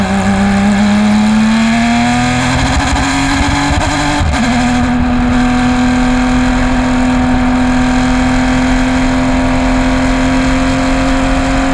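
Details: Race car, Race 1 at 2020 PCA TRAC Road America, bad misfire: the engine pulls hard, then stumbles with a sharp crackle near four seconds and runs on rough and uneven at steady revs under load.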